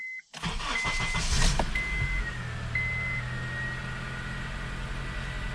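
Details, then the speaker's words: 2005 Honda CR-V after replacing the upstream oxygen sensor for code P1157 and clearing codes: chime, brief crank, quick catch, then a smooth settling idle with a low steady hum while the ECU learns the new sensor. "It'll take the car a minute to learn the new oxygen sensor. So I just let it idle for a second until it kind of idles down."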